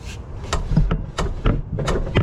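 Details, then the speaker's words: Jeep XJ with swapped 350 V8, body pushed down to bounce it: dull hollow clunk about every third of a second; header collector striking the axle tower; collector likely to be cut and rerouted. "the collector on the header was hitting the the tower off on the axle huh a that's no bueno"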